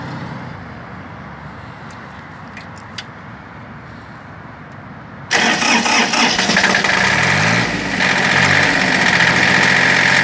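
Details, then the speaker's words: Shibaura P17F Japanese mini tractor, 17 hp three-cylinder diesel, 747 hours, started after glow plugs in cool weather: catches and settles to an even idle about four beats a second, smooth, no extra noises; normal. "Я не брал и стоит все нормально работает ровно сцепление отпускаем Отлично Отлично работает двигатель ровно четко без лишних Шумов каких-то"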